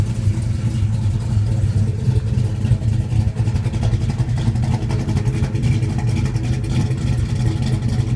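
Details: 1972 Plymouth Duster, 440 six pack bored .030 over, big comp cam, 1350 CFM carbs, 727 auto with 3000 stall converter: deep loping idle with uneven beats, about three or four a second, chopping and stumbling; rough idle.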